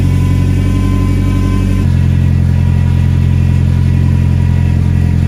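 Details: Nissan 240SX with an ISR single GT exhaust, new gaskets and a muffler installed: deep, loud rumble at idle with an even beat and no ticking or puffing between pulses, exhaust sealed with no leaks. A whine was noted, and a belt is suspected.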